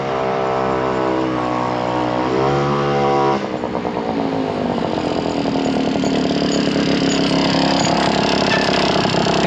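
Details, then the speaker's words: Garelli SSXL moped two-stroke with expansion pipe, after timing adjustment, garbage carb: thin buzz pulls hard at half to 3/4 throttle, then goes ragged and stutters near full throttle; owner suspects high-end fueling issue. High-rpm breakup. "if I go anything past that starts uh breaking up and not wanting to accelerate which tells me that it's getting it's a fueling issue up on the high end"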